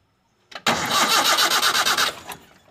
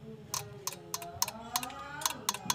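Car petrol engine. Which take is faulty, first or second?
first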